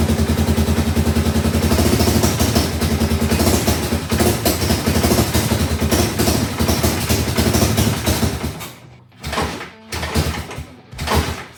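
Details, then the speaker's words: 1985 Suzuki DR600 barn find on its first startup: single thumps at a steady idle, then falters and cuts out in choppy bursts on slight throttle instead of revving. The owner suspects it is not getting enough fuel and may adjust the needle or main jet. "But as you can hear, as soon as I give it some gas, it bogs down and dies, even just with a slight twist of the throttle. So, it's likely not getting enough fuel."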